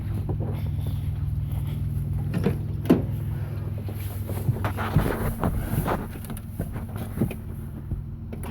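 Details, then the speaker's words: Toyota engine (1990 2-door 4Runner or 1986 turbo EFI Toyota truck) idling low with an uneven, loping beat and occasional stumbles and pops; runs rough after not being started for a while. "yeah yes that would be a little rough perspiring and not having a been fired in a little bit as you can hear it spread a little little rough"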